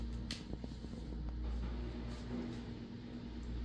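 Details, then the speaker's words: Midea inverter split-type air conditioner compressor on the bench, driven by the customer's old board that showed PC04/PC00 errors. Compressor only, no load, no evaporator, condenser or freon. Steady low hum with a faint hiss; the compressor runs normally. "Ito sa mga master, andar yung compressor. Andar to, tingnan nyo."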